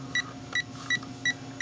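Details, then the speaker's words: Power Probe fault finder tracing the P0693 cooling fan relay 2 control circuit (reported open) on a 2008 Saturn Astra that failed emissions; sharp high beeps about every third of a second over faint hum as signal is picked up along connector and harness. "But you can see I have, you know, I'm picking up the signal all the way to the connector, and then if I go down to the harness, I'm picking it up, and I go down, skip to a part I can get to."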